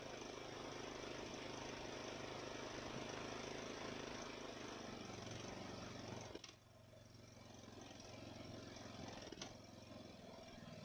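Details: Ariens mower after its Nikki carburetor rebuild: the single-cylinder engine runs steadily, then drops to an even, held idle. It runs smooth and responds to throttle with very little surging, far better than before.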